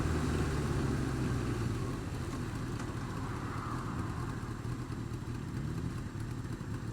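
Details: Honda Fireblade idling with a light tick about three times a second over the exhaust note; worse cold, quietens but remains when warm; feels slippy; source unclear.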